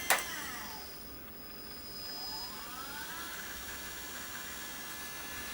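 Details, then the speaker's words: DC motor on Gertbot controller reversing from full one direction to the other with ramps, one second to stop, two seconds to restart: whir drops to a stop then climbs back up; normal ramped reversal. "if you go from full one direction to the other direction it takes three seconds one second to stop two seconds to start up"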